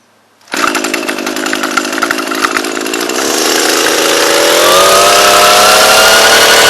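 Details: Echo PE-225 two-stroke edger, load-tested with its blade digging into dirt: a high buzz with gritty rasping, then revs climb and hold steady. Clean, healthy running under load.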